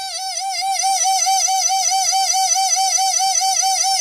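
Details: Mercedes 600SL V12 early 1992-93 throttle body motor, bench-tested and tapped: high screech near 750 Hz wavering about twice a second; worn armature shaft sleeves, no axial play.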